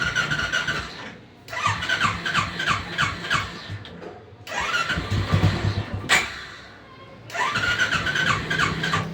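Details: Royal Enfield Classic with a morning starting problem, key on: three short cranking bursts with pauses, the motor turning over steadily but never catching; cranks but won't start. The fuel supply was then checked for flow and water.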